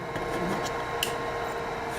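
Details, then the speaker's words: Saturn 2 4x4 CNC with stepper drives stopping mid-job: irregular sharp pops and crackles over a steady motor hum, and the driver's red LED shows a fault; the owner first suspected a cracked board, cause still unclear. "so hopefully you heard that crackling and popping"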